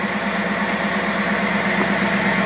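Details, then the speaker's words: Carburetor tested on a running engine with the chokes turned off; steady idle with a constant airy hiss from a big vacuum leak at the throttle shaft. "you see what that does yeah big old leak right there that's your problem with your vacuum"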